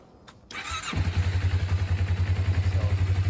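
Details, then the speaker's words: 2001 Kawasaki Ninja 250 after a carb cleaning and repack, new petcock, tune-up and a fixed idle vacuum leak. A short crank, then an even, steady twin idle with no misses. Normal start and idle. "So, yes, I did fix the idle vacuum leak. And it's running good."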